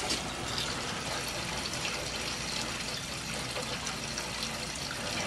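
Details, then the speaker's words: Oil-fired hydronic heating system with one zone not heating, being purged with the circulators: water rushes and spits unevenly from the purge valve with bursts of air as trapped air is bled from the loop. "definitely a lot of ear in there"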